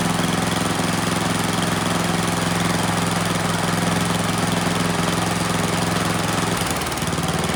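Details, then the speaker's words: Troy-Bilt Storm 10030 snowblower, Tecumseh HMSK105 engine, long neglected outdoors, after starting fluid: small single-cylinder engine runs on its own with a steady, even drone, choke off and throttled up, no misses or knocks; normal running. "very nice kind of surprised it ran on its own and not only that it ran pretty well you know I could turn the choke off throttle the engine up and things sounded good"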